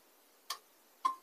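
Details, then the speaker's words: Portable power station on solar input: two sharp clicks about half a second apart as the charge relay chatters when input current is too low, stopping once charging draws current around 0.2 A; happens at sunrise/sundown. "but when I turn up the amperage higher we again have the clicking issue until around 0.2 amps where the system really starts taking current so now it stopped the noise is gone"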